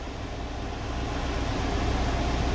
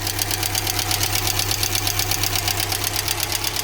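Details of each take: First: UMZ-4216 engine in an old GAZelle Business, 140,000 km, after replacing the rocker arm shaft: steady smooth idle with no valve tapping or rattling; oil now reaching the rockers, problem solved. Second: GAZ Gazelle Business, UMZ-4216 engine, 140,000 km, at idle: sharp fast valve tapping. Almost no oil reaches the rocker shaft, and the valves need adjustment. Suspected causes are clogged oil channels or a wrongly fitted gasket.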